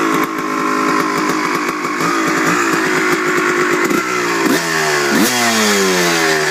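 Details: Honda CR250 two-stroke: idles perfectly when cold, but after five to ten minutes riding the warm engine revs unevenly, the note breaking up and sputtering between blips; cause unknown.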